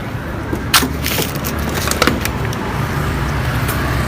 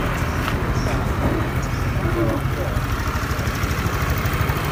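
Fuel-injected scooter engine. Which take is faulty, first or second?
first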